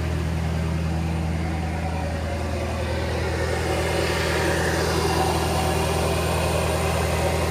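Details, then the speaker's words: 2011 Ford F-350 6.7 Power Stroke diesel, high idle wired with 20k resistor, in neutral with parking brake on; steady raised idle about 1200 rpm, no hunting or surging: steady high idle. "the 20k gives it about about 1200 rpm or so"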